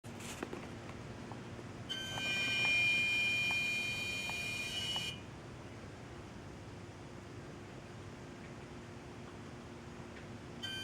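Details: Car parked in a garage for 2 hours with the engine off; two separate bursts of high, steady electrical buzzing of about three seconds each from the engine compartment, cause unknown.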